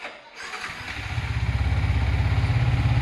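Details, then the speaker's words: Yamaha MT-15 motorcycle after replacing a loose, seized piston (connecting rod undamaged) that had caused bad ticking: quick crank, fires and settles to a steady even idle thump about three a second, no knock or rattle — normal idle after repair. "আমরা piston লাগাই দিলাম, এরপরে fitting করার পর কি অবস্থা, কি sound আসছে দেখেন,"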